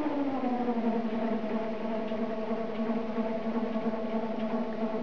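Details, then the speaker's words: Homemade e-bike alternator-based motor with jackshaft and toothed pulley reduction, spinning the rear wheel unloaded at about 24–29 mph: steady siren-like layered whine, noisy because mounts are too tight and the belt is rigid and overtensioned. "They're a bit too tight at the moment, and this belt is really quite rigid, which is not ideal. As a result, it runs kind of noisy like."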